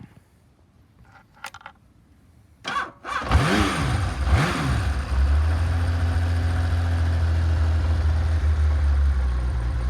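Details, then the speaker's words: Honda CBX 1000 six-cylinder motorcycle, high-mileage engine, started up: deep, slightly uneven lumpy idle with a faint light clutch knock; carburettors out of balance, typical for these bikes, which can sound a lot worse. "you'll hear a little bit of clutch knock on this this one sounds it probably sounds worse on the video but this is about as good as they ever sound they always tend to have this the lumpiness to it writers are out of balance"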